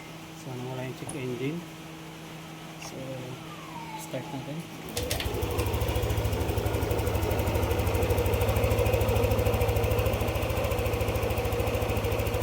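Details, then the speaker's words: Yamaha NMAX 155 V2 that was hard starting, stalling and idling low, after ECU reflash and battery reconnect: engine catches and settles into a steady, even idle with no hunting or stalling; idle restored, TPS still needing calibration. "Kung mapapansin niyo yung menor bumalik na."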